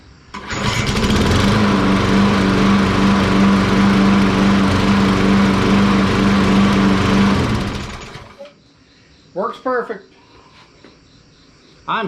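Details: Troy-Bilt 21-inch self-propelled 650 series 190cc 6.5 hp single-cylinder push mower after shutoff cable fix: runs steady and even at governed speed for several seconds, then shuts down; normal running.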